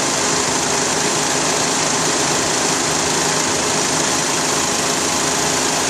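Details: 2004 Honda Accord at idle, belt and spark plugs replaced 1.5 years earlier: light quick ticking about twice a second from the belt drive, tensioner seen moving slightly; failed belt tensioner, replacing it ended the noise for good.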